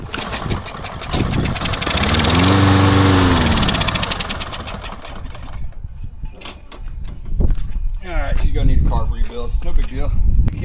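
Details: Old abandoned Lawn Boy mower with a Kohler 149cc engine, run on a little gas before service: pops and catches briefly, surges, then dies within seconds from a gummed-up carburetor needing a rebuild.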